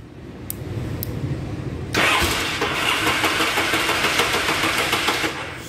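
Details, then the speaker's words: 1976 Yamaha motorcycle started without choke: weak cranking rumble with no firing, then catches at two seconds and runs with a rough, crackly beat; reluctant start without choke. "I think that's just reserved the chokes right there but let's see if it starts without it"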